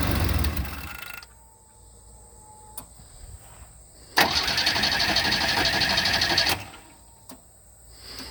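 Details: 1988 Chevy S10 after fuel filter change: quiet fuel pump hum while priming, then a couple of seconds of steady cranking that dies away as the engine catches and starts; normal start, no fuel leak afterward.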